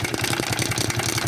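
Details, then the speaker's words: 50cc Shineray motorcycle with a knocking engine: fast, even metallic tapping over the revving engine, steady in rhythm; suspected worn cam chain, possibly connecting rod or bearing, before opening the engine. "ah tá batendo pode ser a corrente comando galera também a gente vai abrir aqui para verificar para ver o que é que vai estar gravando"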